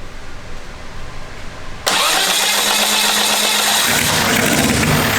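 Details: Small four-cylinder rat-rod engine (valve-spring/head work just done) cranks, catches at once and settles into an even, buzzy run; after the head work each cylinder's firing is heard more distinctly. Normal running.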